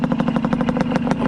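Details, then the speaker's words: Old PE 175 two-stroke dirt bike, running after its exhaust silencer's center section was re-wrapped: sharp, raspy popping at about a dozen pulses a second over a low rumble. Still very loud, only slightly quieter after the repack. "all right it helped very very slightly it's still really loud but it's expected right but uh it did help it did help a little bit"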